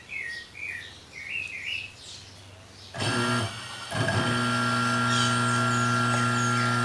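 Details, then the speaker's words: Consul/Brastemp washing machine motor bench-tested off the machine, wired through its capacitor to an extension cord and spinning in one direction: a clean, steady hum settling into an even run; normal running, one winding direction good. "tomadinha ele girou para um lado quero saber se o outro lado embobinamento tá bom"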